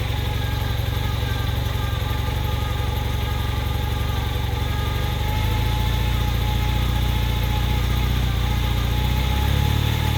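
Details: 1981 Honda CM400T twin after top-end rebuild: irregular, stuttering idle beat carrying into the rev rise near the end; slight misfire.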